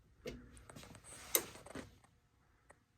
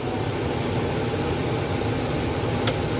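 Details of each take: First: HVAC air handler on a no-cool call with the indoor coil frozen, replaced universal blower motor: one soft relay click, then no blower spin-up; control board not powering the motor. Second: Furnace indoor blower starting on a cooling call (R to Y jumped) after a failed blower relay on the old control board was diagnosed; steady airflow rush with a smooth low motor hum, no knocks or squeal, easing off at the end; normal blower operation.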